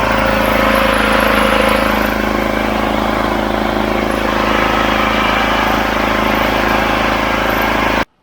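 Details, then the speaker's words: Chinese Wolf 5 kVA Honda GX390-clone petrol generator after service and fixes: steady, even engine drone under about 2 kW load with no misses or knocks; normal running under load. "Good, it powers that no problem, and you can hear it going under load a little bit, but not that much."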